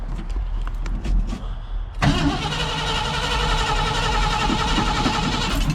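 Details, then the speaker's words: 1968 Ford F100 with ignition problem, cranked by key with gas double-pumped: starter grinds steadily several seconds without engine catching; crank no start, owner suspects bad coil or jumped timing. "And I already tell you that did not fix it. Ah, is it the coil? Did it jump time?"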